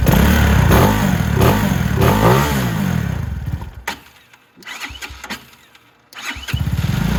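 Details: Venom X22R Max 250cc motorcycle started after oil cooler replacement and an oil top-up: catches quickly and settles into an even, fast putter with a couple of short blips, no knocks or rattles; normal start and idle.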